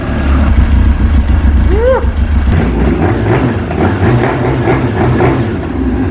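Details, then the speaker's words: Yamaha RX-1 snowmobile, started on full choke after a new battery and oil change, gives a deep, aggressive note that swells cleanly under throttle blips with no knocks or misses; running properly. "Doesn't that sound aggressive? Everything sounds good in here."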